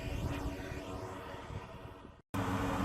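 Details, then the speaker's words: Powerful radon fan venting through a bare exhaust pipe, recorded on the roof before the fix at about 63 dB: a constant, low, droning roar like a plane overhead, audible from the driveway, so the exhaust fan noise is excessive. "But as you can tell, it sounds like a plane is constantly going over my house, and you can hear it when you drive up all the way over there."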